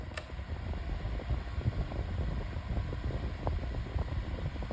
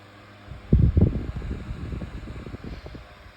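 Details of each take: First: Better Homes and Gardens 8-inch retro metal table fan on high speed: steady, even rush of air with low hum and no ticks or rattles; moving a lot of air, healthy on high. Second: 8-inch Better Homes and Gardens retro metal table fan on high speed with oscillation: low uneven throbbing rumble that wobbles as blades spin; blade out of balance, seeming to spin backwards almost.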